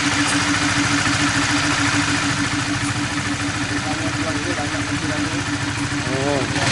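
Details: 2017 Honda Sonic single-cylinder after replacing the sticking automatic cam chain tensioner and changing the oil. Even, quick idle beat with a steady tone and no top-end rattle or ticking; the earlier rough ticking is gone and it is smooth again.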